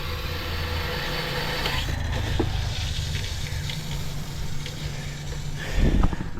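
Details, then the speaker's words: Household water pump feeding a bathroom system with a 24-litre pressure tank: a low, even drone that never cuts out. Even with light water use the pump runs continuously and doesn't switch off. "No poza tym, że właśnie pompa pracuje cały czas, co jest po prostu bezsensowne, że ona cały czas robiła hałas."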